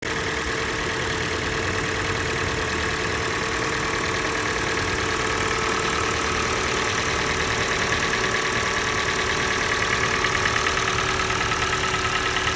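Cold idle with a steady, fairly even knocking about two per second over a busy engine note; knock of unknown cause.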